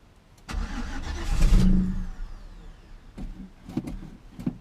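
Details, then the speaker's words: Classic Chevy C10 truck, sitting about five years, previous owner reported engine knock; first start attempt on carb cleaner sprayed down the carb, short one-second burst of firing then weak coughs, no knocking heard yet: brief firing on starting fluid. "we're on the right path though and it did sound a little weird but I didn't hear any knocking yet"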